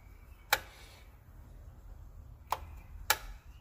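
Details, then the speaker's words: Under-sink garbage disposal switched on: only a few dry switch clicks in a quiet room, no hum or spin-up; the motor doesn't run, either a fuse/power problem or the motor is burned out, before replacement. "Nó như là xong rồi, không có gì cả đấy. Tắt cái công tắc đó nha, rồi không nghe tiếng ồn tiếng gì cả."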